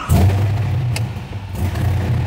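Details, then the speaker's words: LS V8-swapped custom widebody Porsche 911 SEMA build with a six-speed manual, known to overheat, just fired up. Deep V8 burble that loads and lifts unevenly into a lumpy rough idle. The owner says it needs a tune; the cause is unconfirmed. "fires right up man this thing needs a tune"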